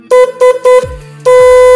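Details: Three short honks and one long, each loud, clear and steady at full strength, from a 12 V motorbike horn wired through a relay with good battery cable; horn works properly.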